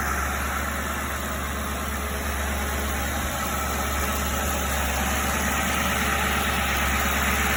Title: Why does exhaust leak like that!